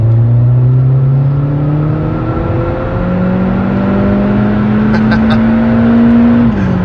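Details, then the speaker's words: Skoda Fabia vRS, 1.4 TSI turbo petrol with DSG gearbox, under hard acceleration in sport mode from a roundabout; loud, smooth engine note rising in pitch with one clean upshift, no knocks or rattles: normal acceleration. "this thing's quick and it's noisy it's really noisy as you can probably hear"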